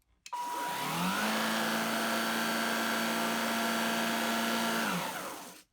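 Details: Gtech AirRAM Mk1 22V cordless vacuum on a 22.2V 2000mAh Li-ion pack (six 18650 cells), first switch-on before any repair: motor spins up to a smooth, steady whine, holds an even pitch for about four seconds, then winds down cleanly. Healthy running.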